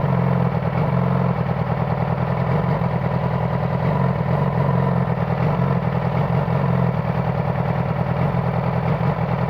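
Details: 2009 Yamaha R6 four-cylinder idling with faintly uneven, stumbling beat: misfire from a failing ignition coil.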